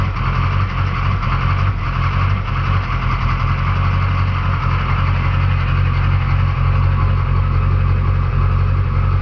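Deep, lumpy idle where the low beat wavers and surges irregularly instead of holding steady; this engine is idling rough. Cause suspected, not confirmed.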